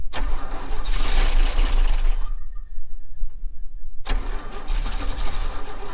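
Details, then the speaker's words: 1961 Chevy Bel Air 235 inline six, parked since 1981: two long bursts of starter cranking with a pause, never catching; no-start from points gapped at 0.030 in, fixed by resetting to 0.017 in, then it fires. "i had to come back and adjust the points i had him at thirty thousands and uh my friend norm here he does everything for me he's awesome gave me his feeler gauge because i can't find mine and uh got him set to 17 thousands and she fires"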